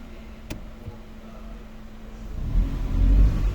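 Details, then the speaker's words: 2013 Kia Rio GDI revved in neutral while stationary, check-engine light on, codes P0420, P0300, P0303, P0304, P0326: rough, uneven petrol engine stumbling and chuffing with weak pull. Misfire with severe loss of power. "El vehículo falla mucho, falla mucho y no tiene fuerza. Tiene mucha pérdida de potencia."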